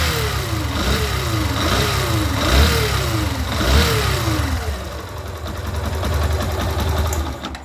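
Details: 2019 Fazer 150 motorcycle, nearly new: clear whine rising with each rev blip and falling as engine settles, following engine speed; not bearing or clutch, identified as stator whine.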